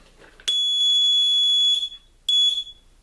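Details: Homemade reloading-press low-primer alarm on a primer feed system, using a sensor pair (one sends, one reflects) and a small buzzer: two shrill, steady high-pitched blasts, the first about a second and a half, the second shorter, the low-primer warning.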